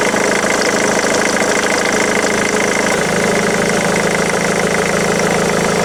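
Steady diesel idle with a regular tapping knock, roughly three per second, riding over the clatter; an unusual idle noise needing checking.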